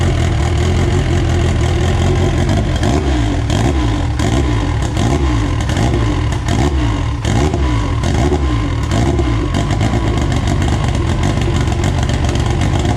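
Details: AWD EG first start on a borrowed 2000cc injector tune, good oil pressure, up-pipe and wastegate dump tube not yet finished; repeated blips rise cleanly and settle with no knocks or rattles. Healthy, peppy, normal running and revving.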